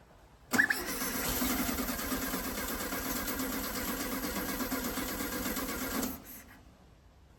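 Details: 1969 VW Beetle not started in 33 years, first start attempt after fitting a makeshift fuel line: the starter spins the engine at a steady, even rhythm for about five seconds but it never catches. Cranks but won't start; carburetor needs cleaning.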